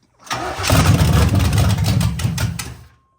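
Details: 1987 Camaro Z28 or 1985 Monte Carlo, mufflers ripped off: starter cranks about 2.5 seconds without catching; it runs only on sprayed fuel, and the fuel pump builds no pressure because the tank was found empty.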